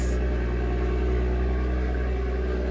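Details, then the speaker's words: BMW 114i with 49,000 on the clock and its original battery, first start: it fires straight up and settles into a steady, even run with a smooth low hum and no knocks or misses. Normal running; coolant level noted low. "that started straight up sounds that sounds amazing man"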